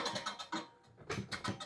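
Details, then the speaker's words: Fiskars reel mower, 11 years old with new parts, after sharpening, reel spun by hand while setting clearance with copy-paper strips: light quick ticking scrapes as blades brush the bed knife; slightly too tight, being backed off. "<b>And I can hear there's</b> <b>a bit of contact here.</b> <b>Back this off a little bit.</b>"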